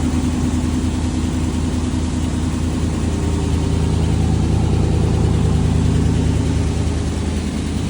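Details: Fuel-injected 1987 Chevy C10 Silverado long bed, abandoned 10+ years, first start after replacing both dual tanks and fuel pumps: even steady idle, regular pulse about three beats a second, no misses or knocks; healthy idle.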